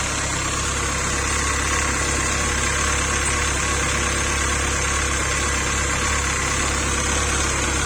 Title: Bruit moteur après retrait de l'alternateur